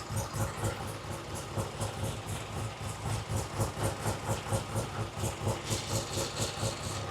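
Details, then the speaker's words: 1967 Triumph TR6 motorcycle twin with monoblock carburetor, first start after repair work: steady loping idle with an even beat about twice a second, no misses or stumbles; healthy and well tuned. "that thing sounds good. Yeah, it's really good. That's a great idle."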